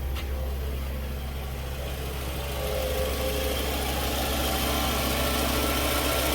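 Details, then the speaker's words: 2007 Toyota Camry after alternator replacement for a roaring noise, engine just started at idle: smooth, steady low hum with no whine or roar; the noise is gone and the motor is quiet. "Yeah, no noise. Noise is gone. It's quiet. It's a quiet motor."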